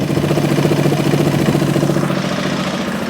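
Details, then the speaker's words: 2003 Honda XR400 after valve clearance and cam timing checks, first running after many kicks, half choke, warming up: even single-cylinder thumping about 3.5 beats a second, idle settling lower; normal idle. "Wow. 365 kicks later, running now. That idle down a little bit."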